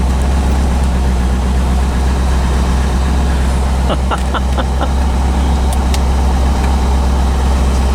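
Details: 1985 Chevrolet Corvette C4 after fixing poor negative battery cable connection causing no power/no start: steady, even low idle, no misfire, knock or tick, light background clicks; charging, oil pressure and rpm good.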